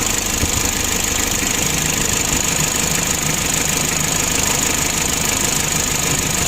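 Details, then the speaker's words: 2011 Mitsubishi L300 diesel, hard to start, knocking and lacking power: rough, uneven clatter with a breathy hiss at idle. The engine is worn and has blow-by but is still usable for now. "untuk mesinnya sudah mulai ngobos jadi nanti kita laporan sama pemiliknya ya sama juragannya ya kita Jelaskan seperti ini apa adanya"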